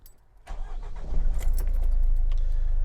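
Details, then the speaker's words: Van just started: a lumpy, uneven idle pulsing about 220 a minute, with the van shaking more than normal and a "check injection" error showing. Rough idle, cause unknown. "it's hard to make out on footage, but it's got a very rough idle and the van is actually shaking more than normal. You can tell that there's definitely something off."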